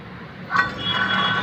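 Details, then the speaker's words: Maruti Suzuki Wagon R front hub, removed and spun by hand: dry rough rumble with faint gritty whine, same noise heard while driving, with play; worn-out front wheel bearing. "ഈ സൗണ്ടാണ് വണ്ടി ഓട്ടത്തിൽ sound കേൾക്കുന്നത്. അപ്പോൾ sound കേൾക്കാൻ സാധിക്കുന്നു വിചാരിക്കുന്നു. ഇത് ബെയറിങ് പോയതിൻ്റെ സൗണ്ടാണ്."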